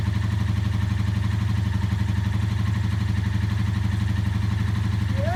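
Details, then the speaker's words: 1984 Honda V65 Magna VF1100C barn-find V4, first start after clutch bleed and flushing junk from the secondary fuel tank line, ticking over at idle: even, steady low thrum with regular clean firing pulses, no knocks; sounds nice. "was just sitting ticking over I'm very suspicious of [Applause] [Music] this well that sounds nice"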